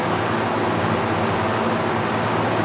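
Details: Master Flow 1450 CFM gable-mount attic fan drawing about 1.16 amps at about 76 dB: steady, even whoosh of air with a low hum and no knocks, rattles or squeal, running healthy.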